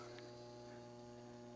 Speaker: When you do the switch, you start hearing the transformer hum. That's the only thing I could hear last time.